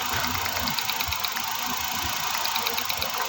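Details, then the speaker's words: Suzuki DA64 with K6A engine, check engine light for cylinder 1 misfire, idling: with one ignition coil unplugged the idle turns uneven with a dull thump about twice a second, showing that coil works. "Tapos bunutin niyo isa-isa yung ign coil malalaman niyo yung hindi gumagana kasi walang reakson yung makina pag binunot niyo"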